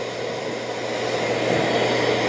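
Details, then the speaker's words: Dreame L40S Ultra CE robot vacuum dock running auto-empty: even, steady rushing suction with a low hum, not too loud, and no knocks or scraping. Normal auto-empty. "Okay, it's gonna auto empty. Start auto empty. Not too loud."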